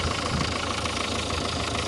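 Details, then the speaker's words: Renault 1.5 dCi diesel idling during leak-off test before repair: steady, even clatter, engine runs well, yet injector 3 returns excessive fuel, indicating worn internal parts; 1 and 2 leak a little. "but this indicates that something is not right. We can see number 1 and 2 started leaking some fuel."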